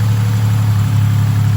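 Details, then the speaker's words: 1987 Buick Regal Turbo T (W05), odometer 87,979, upgraded larger turbo, much money spent on the motor: deep, smooth, steady idle with even low rumble after idling down, no knocks, misses or ticks; normal idle. "Larger turbo. As you can hear, she just idled down."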